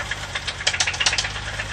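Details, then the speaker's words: BMW E30 M20B25 with M50 injectors, running rich after DME reset, heard from outside the car: sharp metallic knocks about eight a second at idle tracking engine speed, a rattle from the bottom end. "here's just another shot from outside of the car you can hear something rattling in the bottom end i'm running pretty rich um"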